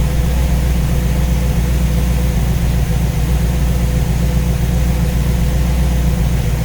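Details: V8 with newly installed Ace's Killshot EFI and Blackjack distributor, timing set at 15°, idling while radiator is topped up with water; deep, steady, unbroken low rumble with no knocks or misses; judged to sound pretty good.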